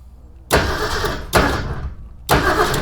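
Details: 1961 Ford Econoline van that sat over 30 years, cranked via jumper wire: three short cranking bursts with no firing at all, because the wires to the points and condenser were not yet hooked up.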